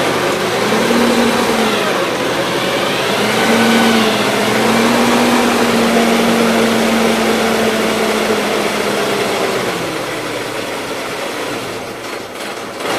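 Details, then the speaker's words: 1977 Gravely GMT 900 after a carb cleaning, with old gas still in the tank: steady small-engine drone of slightly wavering pitch; it idles well only on full choke, and the main jet could not be removed for cleaning. "it's still running on full choke but it'll idle real good"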